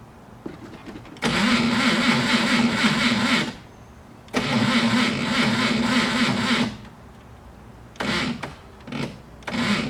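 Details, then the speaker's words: Car cranking with about 1–1.5 V dropped along the starter cable (12 V in, 11 V at starter), wire heating: long sluggish cranking, slow even chugging about four a second that never quickens; voltage drop causes slow cranking. "it tells me that not enough voltage is reaching the starter hence the reason why it's uh it's turning very sluggishly terminals in this case aren't hot yet but the wire is starting to get hot"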